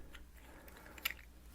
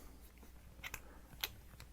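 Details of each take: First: FiFine Ampligame USB microphone: brief sharp high squeak over a low electrical hum as the dry plastic part turns on the brass thread when attaching; suggested fix is multi-purpose synthetic grease. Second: Plastic threads of a FiFine Ampligame USB microphone turning smoothly after grease is applied: soft scattered clicks over low room hum, with the earlier squeak eliminated.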